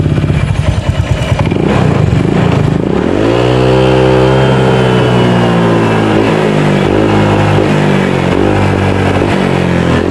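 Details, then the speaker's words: Honda Vario 150 scooter with faulty TPS sensor (previously wedged by friend, before installing BRT TPS replacement): revs from idle but pitch levels off flat, won't rev out or scream; hesitation from throttle position sensor fault. "jadi kondisinya enggak bisa dig gaspol enggak mau jerit ya"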